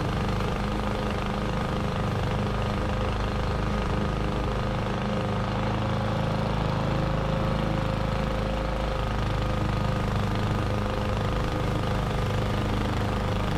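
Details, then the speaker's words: 21-inch Husky push mower (11A-B2M7031), Powermore OHV engine, fresh oil, started first pull: steady, even drone under load with blade swishing through grass while mulching; no misses or knocks. "no issues to report it started first pull and had absolutely no issues mulching the lawn"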